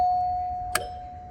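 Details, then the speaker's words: Lighted doorbell at the front door, unit with chimes top and bottom: one clear ding that fades evenly, with a small button click partway; the chime works normally. "So it's got chime on the bottom and one on top. And this is what the front door sounds like."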